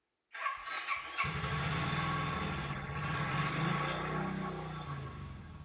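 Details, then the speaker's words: 2010 Royal Enfield Bullet Electra EFI single, 965 miles, long stored, clutch plates stuck solid: engine left at steady thumping idle to warm up in hopes of freeing the clutch; it stays stuck. "I really think bad lending it warm up give the clutch good people see if that frees it off"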